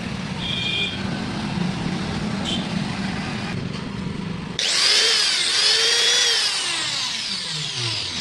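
An angle grinder spins up to a high, clean whine with no rattle or grinding, a normal healthy run.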